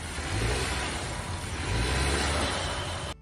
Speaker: And this guy had just bought his first car and needed to change his wheel bearing. He didn't have enough money to bring it into a shop, so he decided to do it himself. He knew it was bad, but he didn't know it was this bad.